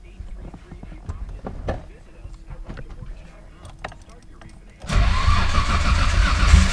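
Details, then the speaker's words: Nissan Skyline R33 with big turbo, fresh build, OEM crank and VVT cams, first start on new ECU after ECU fault; fires and settles into steady full-bodied run, no knocks or misses. Normal idle. "how does this sound i think it sounds pretty dang good but let me know down below"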